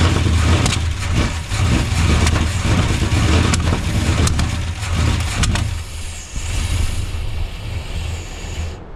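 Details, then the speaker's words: Freshly swapped Gen 6 454 big-block V8 with hydraulic roller cam in a 1976 C30 dually, while adjusting idle speed and timing: fires, surges and dips unevenly, then dies within seconds; won't idle. Owner suspects timing too advanced, unconfirmed. "This thing will not idle."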